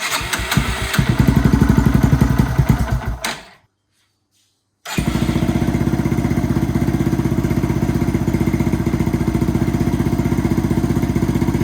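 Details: Yamaha TTR230 single, first start after replacing slipping starter clutch: starter spins, engine catches, stalls briefly, then restarts and settles into a steady even thump, about four beats a second.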